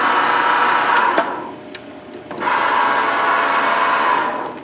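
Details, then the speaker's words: 2005 Wood-Mizer LT40 sawmill power feed motor, which previously ran only in reverse, after replacing the variable speed controller module: even, smooth hum that winds down, pauses, then spins back up cleanly; running normally. "hook back up the battery power it worked works yup definitely working now you hear"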